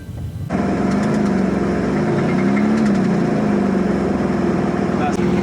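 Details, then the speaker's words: Porsche Boxster 987S engine while driving, noise appeared days after purchase and worsened over four miles home: repetitive knock about four beats a second over steady drone; internal engine knock, owner considered rebuild. "and this final issue on the Porsche is every Porsche owner's worst nightmare um it actually happened a while ago it was after four or five days of me owning the car I was driving along on a summer's afternoon and then I heard this noise"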